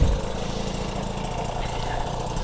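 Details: 1977 Peugeot 103 VS two-stroke moped after full restoration, first start off the stand with fuel opened; settles into a steady even burble, no misses or knocks, warming up at idle before a road test.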